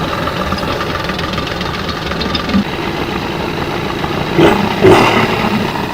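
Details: Suzuki 85 hp two-stroke outboard, around 1985, after clearing the fully plugged carburettor jets: steady, even idle with a smooth low beat and brief handling bumps; running cleanly with no knocks.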